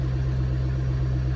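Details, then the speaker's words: V8 first start-up on the final revision of a remote tune, warming up with good rpm, AFR and fuel trims: a deep, steady idle with an even low rumble and no misses, knocks or pinging; the engine sounds healthy and well fueled. "looking pretty good okay exhaust sounds good i don't hear any fueling issue or detonation issue so that's plus one and prep for tomorrow"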